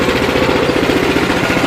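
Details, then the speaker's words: Sears 26-inch snowblower fitted with a new 6.5HP Greyhound (Honda clone) engine replacing the dead 9HP one, auger idling slightly: quick, even single-cylinder putter with no knocks, misses or rattles; running healthy. "sounds good no bad sounds all I have left to do is make sure everything's tight and put the covers on it"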